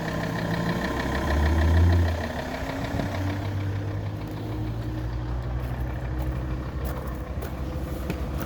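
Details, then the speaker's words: Alfa Romeo 159 2.4 idling, recorded on the driver's side after the knock was found louder on the right side; a dull, fairly even knock of about three beats a second under the engine note; engine knocking, cause unknown. "This is the right side of the car, and I hear the noise. It's more loud on this side."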